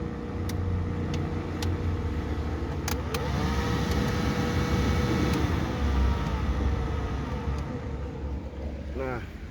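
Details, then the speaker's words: Suzuki APV: rough low growl from the AC blower motor, like a toy Tamiya car, getting louder and harsher at fan speeds 2, 3, 4; blower replaced. "apabila kita Nyalakan blower atau AC itu suaranya seperti ini teman-teman kedengaran ya suaranya [Musik] ya apabila di kecepatan 2 3 4 semakin"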